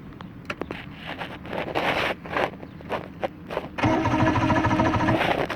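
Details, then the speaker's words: Johnson V4 115hp outboard after ground wire change: uneven starter cranking with scraping, then a brief catch that rattles for a second and dies; cranks but won't start. "so okay so we're getting really turning it's turning a bit so that's a good start"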